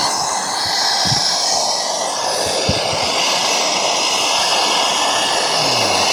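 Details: MSR Dragonfly liquid-fuel stove, owned a few years, flaring up during priming: loud hissing roar, heavy on the high end, with a few low pops. Owner suspects too much fuel but is unsure; thinks it needs a service.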